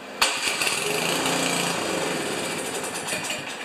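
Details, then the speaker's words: Craftsman 824 snowblower, 205 cc 7 hp engine, reported as won't start or won't stay running, electric start with primer, before carburetor cleaning. Starter thump, then ragged, sputtering firing that dies; clogged carburetor, fires, burns the fuel in the emulsion tube and quits. "That's a classic clogged carburetor it fired up it burnt the gas in the emulsion tube and quit"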